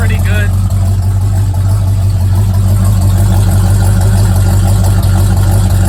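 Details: Old Mustang project car, recently revived after 42 years, at cold start idle: a steady, even low idle with a firm, regular exhaust pulse and no knocks or misses, healthy.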